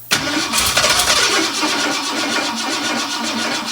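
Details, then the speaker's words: 1958 Ford F100 cranking evenly after a little brake clean in the carburettor but never catching; fuel line barely pumps fuel to the carburettor, so no fuel delivery; line then replaced. "well it liked the little bit of brake clean that was already in there but note our fuel line it didn't really pump up much fuel"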